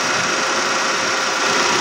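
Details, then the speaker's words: 2017 Nissan Almera after the seized, noisy AC compressor was replaced; AC running, compressor cycling back on, steady even hiss with no knocking or rattling. System now very cold and running normally. "Yan, umikot na ulit yan. Ibig sabihin napakalamig na ang ating system."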